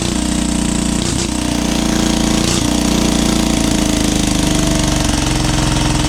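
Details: 12HP air-cooled single-cylinder diesel, test-run after overhaul; it had been hard to turn over and ran only once. Owner suspected a bad piston. Rocker arm and valve clearance were reset. Steady, even thump near 220 a minute, no rubbing or rattles: normal running.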